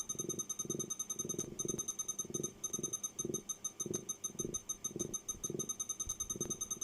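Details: Over-40-year-old Walkman on a plug-in power supply with barely readable display: rhythmic low purr pulsing about three times a second under a faint high whine; owner suspects the power supply can't keep up, unconfirmed.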